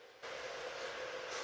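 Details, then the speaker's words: Anycubic Vyper 3D printer with silent stepper drivers: faint steady mid-pitched hum over soft hiss on a fast Y-axis move needing more torque, so not completely silent; quiet when printing slowly; normal stepper noise. "it has silent stepper drivers but i've noticed on the faster moves particularly on the y where it needs a little more needs a little more torque it actually is makes a bit of noise you can hear it so it's not completely silent"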